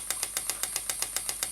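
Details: Stuart "Petit Cheval" donkey steam water pump model, 6 cc, double-acting, running slowly on compressed air (range 40–400 strokes/min): crisp evenly spaced clops, seven or eight a second, over airy hiss; normal running, rhythmic clop.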